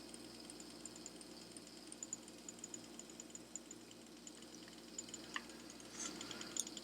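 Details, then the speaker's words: Lemax Vampire Caverns that came in with no sound and a vampire not rising: faint, uneven clicking, about three a second, over a quiet motor hum. A pressed-on drive gear split between its teeth is slipping on the shaft. "this does not sound good sounds like ice got their broken gear or you can hear the clicking"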